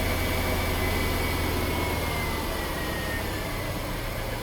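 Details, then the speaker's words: Daimler Super V8, supercharged, first start after replacing cracked secondary cam chain tensioners with metal ones, new supercharger and ancillary belts, supercharger belt bearing: even, smooth idle, no chain noise, no belt squeak; normal idle. "I can't hear any chain noise. Sounds good to me. No supercharger belt squeak. All nice and smooth."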